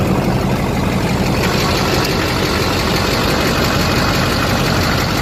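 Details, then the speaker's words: LBZ Duramax diesel truck idling just after installing an HSP turbo mouthpiece; listening for hissing, none heard. Steady, even idle with low rumble, no hiss or whistle, no boost or vacuum leak: normal idle. "listening for any hissing noises. I don't hear anything. Just gonna let it idle a little bit. Sounds good though."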